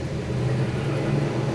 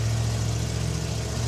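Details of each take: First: 1974 Mazda RPU with a turbocharged mid-mounted 5.3L LS4 on E85, first dyno pull: the engine runs loaded on the rollers with an unsteady, wavering note. Running poorly, traced to a dead, misplaced O2 sensor. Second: Off-road Challenger: fires right up after two throttle pumps into a deep, even, steady idle with no knocks or misses.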